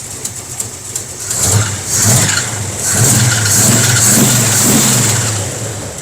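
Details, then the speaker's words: Barn-find 1957 Chevy wagon big-block V8 running for the first time in about 20 years, after a carburetor fix and a working fuel pump: a loose idle, several clean throttle blips, and a suspected exhaust leak. "Big block love in the house. Yeah. Big block running out of like 20 years. I'd say that's a success."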